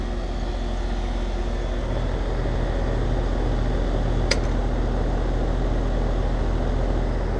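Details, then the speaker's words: Heat pump outdoor unit after rewiring with delay-off to cure loud fan thump on shutdown: steady low condenser fan hum with one brief click, blade stops fully with no thump or knock; normal shutdown. "I'm liking that so that blade stop totally he I'm happy with that long as it all works off the thermostat"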